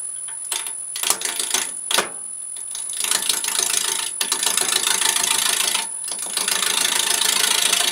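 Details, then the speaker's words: Wood lathe roughing a square blank between centres into a round: uneven chatter broken by sudden loud cracks and bangs as the gouge digs in; tool catch, possibly from a dull tool or bad spot in the wood. "those loud noises are what's called catches there are many reasons for it to be that the tool's not sharp enough could be that there's a nasty bit of wood there"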